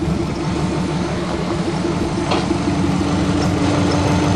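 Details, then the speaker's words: Subaru Legacy with 2.5 L boxer engine, running after a brake repair: a steady, even low rumble with no knocks or misses. It idles cleanly. "well I'm sitting in the Legacy I finally got brakes on her got her running good"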